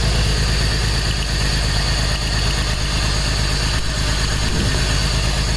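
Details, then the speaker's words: 2004 BMW X3 3.0L with cylinder 1 misfire (P0301), cylinder 1 coil pack pulled as a test: low uneven, loping idle about three beats a second, missing its rhythm; dead cylinder from disconnected ignition coil. "okay guys so we got the coil pack pulled out of the cylinder that should be cylinder one let's start this up see what happens here"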